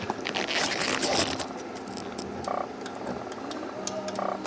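Irregular croaking chirps and short tonal squawks from behind the fuse panel, still there with the fuse pulled: a failing body electronics module.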